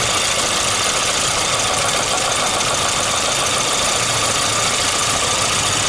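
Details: VAZ 2115 1.5i (2111) engine at idle, warmed to 60–70 °C: light uneven tapping about two knocks a second, coming and going, starting as engine warms; source of the knock not identified.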